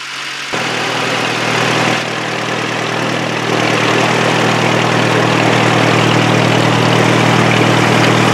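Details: Boat engine under way on the river after clogged carburetor was fixed: even, steady drone with no misses, knocks or rattles; ran perfect, smooth healthy running.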